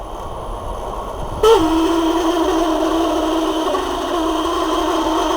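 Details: Parlux 2800 hair dryer, long unused: the motor spins up to a hum with a rough, strained edge; it turns heavily and not freely, probably from a dried-out bushing.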